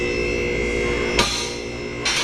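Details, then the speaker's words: Four-post vehicle lift raising a Hummer H1, with a steady hydraulic pump hum and sharp metallic clacks as the corner safety locks catch out of sync. This is normal operation. "We've got these uh locks on each corner here. Dang, there's one. And you can hear that they're clicking out of sync. That's just the way that it is."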